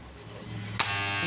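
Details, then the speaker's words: FYC hair trimmer running on AC mains after its loud-noise problem was fixed by tightening and resetting the blade. It gives a steady, even high buzz with no rattle or chatter; the blade runs smoothly. Normal running. "और देखिए इसकी आवाज़ की problem ठीक हो गई दोस्तों, और प्लेट भी अच्छी चल रही है,"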